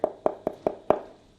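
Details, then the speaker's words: Tile laid over concrete and self-leveler, tapped: five light taps about a fifth of a second apart with a hollow, papery knock, showing a void under the tile. "we have that lovely Hollow sound hollow right there in the middle you can hear"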